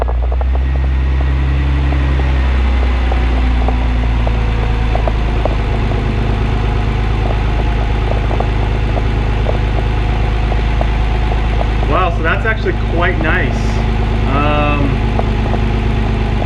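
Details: Nissan 300ZX Twin Turbo V6 after replacing the damaged cylinder #6 ignition coil (crossover tube removed and refitted), started still cold to check for vacuum leaks and idle; settles into a steady, even cold idle with a low hum, no misfire stumble.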